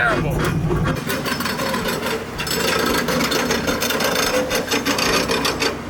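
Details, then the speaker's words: Slammed '65 Mustang on the road with its very low front end; the noise goes away when floored and the owner may raise the front an inch. Continuous harsh rasping scrape, suspected front tires rubbing the body; the car otherwise drives well. "aside from this horrible noise it's driving it's driving really well I I know it sounds bad all I know it sounds broken and everything but it's working great"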